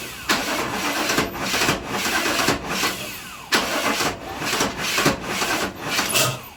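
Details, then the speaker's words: 1997 GMC Yukon 5.7 L, towed in: starter churns in uneven bursts, engine choking without catching; crank no start from clogged injectors, ignition timing found over-advanced. "I do remember having one of these before with injector problems, and even though one injector wasn't working, I sprayed brake cleaner in there, starter fluid, and it didn't do anything."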